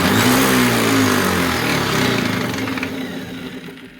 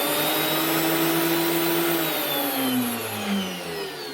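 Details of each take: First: DeWalt DW733 thicknesser planer after a timber jam burnt through the drive belt: motor whine falls as it coasts down with a rough fluttering vibration, about three pulses a second, something vibrating inside; cause unconfirmed. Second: DeWalt DW733 thicknesser after replacing the drive belt (worn on one side, causing vibration) and blades: steady high motor whine with cutter hum easing off evenly, no thumping or rattling; runs smooth.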